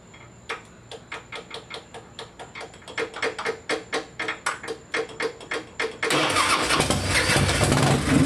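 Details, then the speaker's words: Harley-Davidson after wire harness repair: sharp ticks about twice a second for several seconds as the sticking starter relay must be tapped, then the engine catches and roars. "You have to tap the relay to start it. Hear it every time. Fucking every time, dude."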